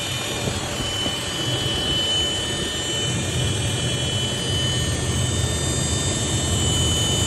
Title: Whine noise on 80 series LC